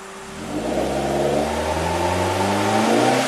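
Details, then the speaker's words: 2008 Suzuki SX4 with low power: revs climb slowly and unevenly, misfiring at the wall before pulling through. It bogs unless over half throttle and starts missing around 1,500 rpm; oxygen sensors and fuel trims are fine. Cause unconfirmed. "But it does go through it. We'll miss fire right at the wall. If I punch it, it really bugs unless you're over half throttle."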